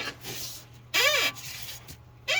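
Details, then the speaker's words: Tesla Model 3 on a lift, 70,000 miles, wheel rocked by hand: two sharp, creaky squeaks from a dry front upper ball joint causing the front-end squeak; water draining onto the suspension is blamed, fixed by greasing. "All right, so we have the Tesla up on the lift, and we basically figured out that it is the upper ball joint, and I can kind of show you that."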